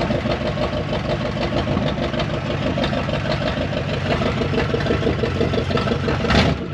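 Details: 1974 Dodge W100 Power Wagon V8 4x4, parked since 1983, first attempt to drive: idle drops into a heavier, strained drone when put in gear, truck won't move, no reverse; transmission fluid possibly low, manual swap considered.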